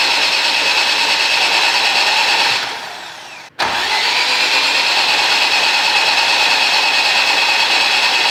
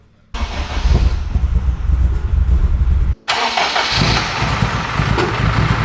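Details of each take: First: AWD Civic Type R, new engine first start prep, plugs out, injectors/fuel pumps disconnected: two long bursts of even high starter whir with no compression chuffs, building oil pressure to 45 psi; normal cranking. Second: AWD-converted Honda Civic Type R, freshly rebuilt engine, first-start data-log run: fires, briefly stalls, restarts to slightly uneven, hollow, hunting idle; data log shows it running quite lean, needs adjustment before further running.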